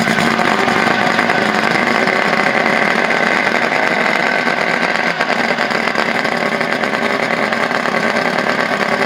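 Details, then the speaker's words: Two-stroke outboard on a 1984 Grady White Overnighter 20, electric fuel pump, no choke: buzzy, raspy idle running steadily without misses; it runs, though a fuel leak is seen; warm water from the pee outlet. "well we know it runs"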